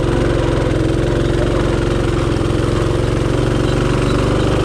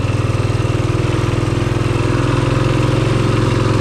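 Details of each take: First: Rokon Trail-Breaker climbing severe slopes on the first switchback, smoke smelled: engine drones at high revs and strains without gaining speed; the clutch belt is slipping under load and the clutch was burnt up. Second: Rokon Trail-Breaker motorcycle on a hillside trail after its burnt clutch was rebuilt with new parts: steady, even low thumping under light load, no slipping or chatter; the new clutch pulls smoothly, normal running.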